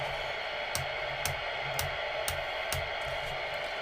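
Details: Recapped Uniden Uniace 200 CB radio with replacement socketed PLL, squelch open: even, steady hiss of open static with faint regular ticks, no squeal or dropouts; previously missing even channels now work, receiver healthy.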